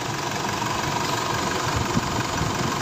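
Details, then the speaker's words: Isuzu D-Max diesel after the intake work, started with the part attached that previously dropped the RPM and stalled it unless given throttle. Steady, even idle with no dips, stumbles or surging; holds revs. "Yan kasi yung dati umaandar siya pag nakakabit nito pero d-do RPM bigyan mo lang RPM mo lang ng konti para hindi siya namamatay yun ang ano sakit"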